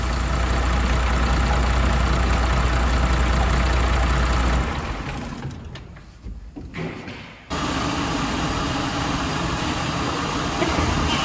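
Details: MAN TGM truck, D0836 LFL diesel, brought in smoking and misfiring; engine removed, rebuilt, and refitted with stand-tested replacement injectors. After the rebuild it idles steady and even, with one brief dip midway, no misses or knocks; normal idle.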